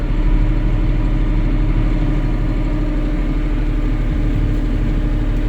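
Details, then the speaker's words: 2022 John Deere 5065E tractor with the hand throttle raised after selecting drive, before moving: the diesel holds a raised, even rpm with a deep, steady drone and no knocks or misses, running healthy. "Come over here to your throttle. This little guy here is your throttle. You want to rev up a little bit. Get those RPMs to come up."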